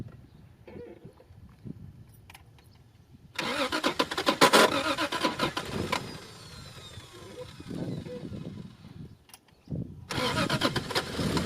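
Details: Toyota MK3 Supra with a rebuilt 7M-GTE turbo engine, startup after the rebuild and a timing reset at the cam sensor, crank pulley and camshaft. The starter whirs, the engine catches, revs cleanly and settles to an even idle: a normal start.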